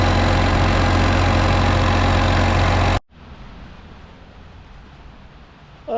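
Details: Case 305 diesel after a fuel filter change, pump primed six times: steady clatter with even firing pulses for a few seconds before shutdown. Runs smoothly and healthy.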